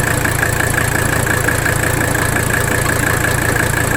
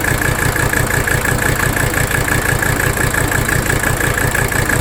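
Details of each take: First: 1985 Mercedes 300D diesel at idle after adjusting the rack damper bolt. Steady, even clatter with no stumbling; the idle is smoother than the earlier rough running. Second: 1985 Mercedes 300D diesel idling in drive under AC load while the rack damper bolt is adjusted; lumpy clatter that gets rougher with the bolt setting, then smoother; the bolt setting did not fix the underlying rough idle.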